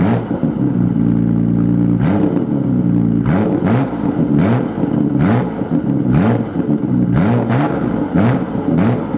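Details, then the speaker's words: Nissan R32 GTR re-straight-piped, skid plate refitted; smooth deep idle then repeated clean blips rising and falling evenly, no rattle or leak puff, healthy straight-pipe exhaust. "it's so much better with a straight play"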